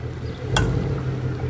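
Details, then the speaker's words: 2017 Ford Mustang GT V8 with H-pipe exhaust at idle: a single sharp clunk and ticking, which also occurs shifting between drive and reverse and under hard driving, from a worn thrust washer on the rear half shaft behind the hub bearing; the washer was replaced to fix it. "that right there you had to have been able to hear that that ticking and clunking that's apparently this thrust washer"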